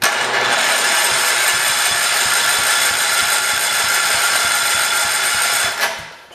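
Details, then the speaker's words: Engine on a 1968 John Deere 112 garden tractor runs at a fast, steady beat for several seconds, then abruptly cuts out and winds down to silence; stall from fuel starvation, it ran out of fuel. "okay she's out of fuel let's go on ahead pull this okay we'll drop us some more fuel into it"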